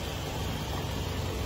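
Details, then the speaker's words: 2004 Nissan Presage after fixing DTC P0507 (idle higher than expected; throttle body check, relearn, MAP sensor cleaning, vacuum check): steady even low idle rumble, no knocks or shaking, RPM settled at 800; problem solved. "Oh ayos na ayos po RPM. Nandun na po siya sa level na kailangan 800 lang."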